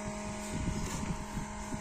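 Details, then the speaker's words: Separate LED headlight cooling fan on a Yamaha Xride motorcycle, after several years of use, gives a steady buzzing hum with a rough, uneven rumble that comes and goes and grows harsher; the fan bearing lacks lubrication and will be re-lubricated. "Tung berisik banget suaranya. Otomatis itu udah ada masalah di bagian kipas yang kurang pelumasan. Tuh, suara kipasnya berubah ya. Jadi kayak gini nih, makin kasar."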